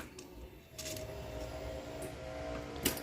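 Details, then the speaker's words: 2007-2016 Suzuki Burgman 400 scooter, fuel pump assembly just reinstalled and plugged back in, fuel injector not yet cleaned: key-on priming. Faint, steady electric hum lasting a few seconds. Normal fuel pump priming. "Now we're going to prime it. I hear a priming noise. That's a good sound."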